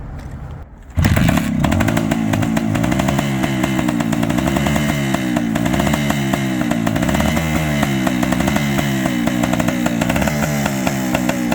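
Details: Suzuki TS400 Apache two-stroke, revived after sitting outside for years, first fire-up on a little fuel with its clutch partly seized: a crisp, ringing note, revs rising and falling with the throttle, firing steadily with no knocks or misfires.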